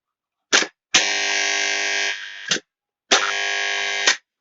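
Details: 220V electromagnetic contactor gives a loud, harsh hum for 1–1.5 s on each switch-on, cut off by a click. Cleaning, sanding and acetone-washing the contacts didn't help. The owner suspects a possibly burnt coil.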